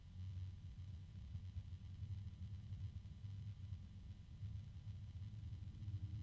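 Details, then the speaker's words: PC case fan rated 1350 RPM, at its maximum speed and sitting on a desk: a low droning hum that swells and repeats over the quiet fan noise, a fan resonance that is noisier than expected. "and again fairly low pitch oh there's a can you hear that another Resonance of course"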